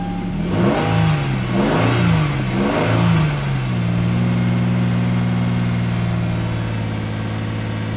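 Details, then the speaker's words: 2011 Hyundai Genesis 3.8L after fuel supply line refit: several slow cranking pulses, catches and settles into a steady even idle with no stumble; normal start and idle. "so as you can see the hyundai just started so i'm gonna turn it off let's start it one more time so right there the vehicle just started"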